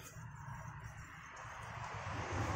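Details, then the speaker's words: Motorcycle disc brake after new aftermarket pads ticked because the pad sat loose; after refitting snugly, the spun wheel whirs smoothly with no ticking. "ya sudah enggak ada bunyi lagi kan karena di sini sekarang presisi Ya sudah putar enggak ada bunyi lagi"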